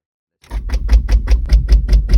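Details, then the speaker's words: Ford Escape that shut down while driving and won't restart: key on gives fast, even clicking about five per second with no cranking; dead battery suspected, though the battery later charged and tested good. "when I tried starting it we just hear this repetitive clicking noise it sounds like the battery is dead"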